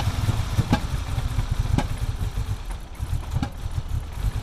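Lumpy, uneven idle with irregular stumbles and pops and a loudness that rises and falls; the cold engine is missing on some cylinders.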